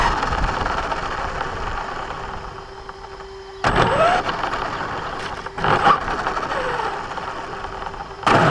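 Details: Brand-new Basher Nitro Circus 4x4 1/10 RC truck on a 3S 4000mAh battery: electric motor whine broken by three short rough grinding bursts as it accelerates. The noise happens only when accelerating, not in reverse or off the ground. Gear mesh was adjusted without fixing it, and the cause is unknown.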